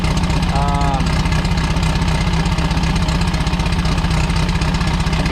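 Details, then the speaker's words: Turbo VW Bug engine after falling on its face at launch during a drag race: deep idle thumps about two per second, uneven with weaker pulses; owner suspects misfire, possibly heads or pistons, rules out intake leak; oil leak noted. "Sounds like a misfire to me. Could be heads. It's not an intake leak."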